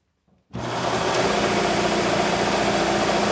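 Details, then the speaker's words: Bigger shop air compressor, first pressure build with no regulator, checked for leaks: motor starts sharply, then holds a steady, even drone while charging the tank, with no knocking or squeal; cuts out around 135 psi; normal pumping. "okay looks like it shuts off right around 135"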